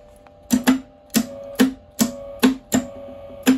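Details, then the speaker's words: Eland 200 MIG welder being recommissioned: repeated paired clicks about every 0.6 s with brief buzz; the feed roller turns but the wire slips and won't feed. "Now, why is that wire not feeding properly? Because, no, it's not because it's turned down."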